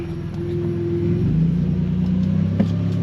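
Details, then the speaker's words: Truck with home-made sequential transmission controller, shifted into overdrive in triple low gear: deep rumble with steady gear whine that drops pitch after shift and holds; normal overdrive whine, no check engine light. "I don't know if you can hear the whine from overdrive, but I am actually in overdrive in my triple low gear."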